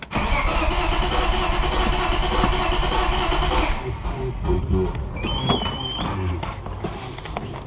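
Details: Engine on a compression test, throttle wide open, no spark: fast, light, even cranking at about three turns a second that never catches; low compression in all cylinders and none in cylinders 5 and 6.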